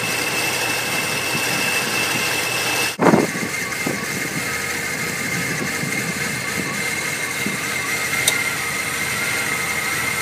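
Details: Cadillac Northstar V8 cold start: fires up and settles into an uneven, wavering rough idle from a vacuum leak at loose intake manifold bolts, sealing as materials expanded with heat; not the feared head gasket.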